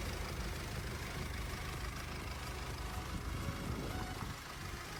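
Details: 2020 Mercedes-Benz GLC 220d 4MATIC, 2.0 turbodiesel, 143 kW, 9G-Tronic automatic, 249,000 km, no signs of work under the bonnet: the engine starts instantly and holds a low, even diesel idle, quiet and stable with no misses, knocks or hunting.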